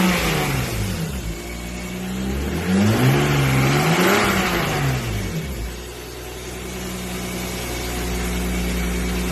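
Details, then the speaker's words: 1994 BMW 325 (E36) after smoke-testing and fixing a vacuum leak behind MAF fault code 1215; engine revs cleanly a couple of times and settles to steady even idle, no hunting or stumble; normal revving, vacuum leak cured. "I'm actually getting some back pressure so it sounds like all my vacuum leak is cured"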